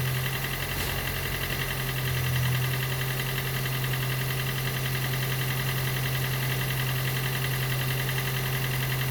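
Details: Gen 2 Toyota Prius 1.5L hybrid with codes P3190, P0A0F, P3000 and P0A80, engine running after being spun a few turns while the HV battery charges: steady low drone with an uneven, loping beat underneath. Diagnosed low compression, causing the cold no-start.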